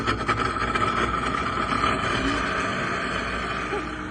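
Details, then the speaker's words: Trane 20-ton packaged rooftop unit with a no-heat call: loud, rough draft inducer motor drone with uneven rattling flutter; failing inducer motor, igniter also burnt, motor replaced. "Going to unplug that. That thing sounds horrible. We got to get that bad boy swapped out."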